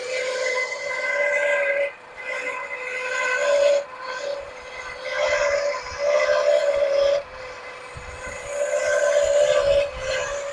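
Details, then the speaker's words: 1979 Lincoln Continental, first run after 32 years stored: shrill steady squeal over running engine, rising and dropping in waves; confirmed smog pump by screwdriver-stethoscope listening. Smog pump bearing squeal. "Put it on whatever item you think might be making a noise. Yep, it's the smog pump. It tickled my eardrum."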